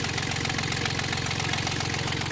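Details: Yanmar 3GM diesel in a Hunter 35.5 sailboat after throttle cable replacement and idle screw adjustment: steady, even clatter at low idle with regular firing pulses, no stumble or shake, holding just under 800 rpm; normal idle.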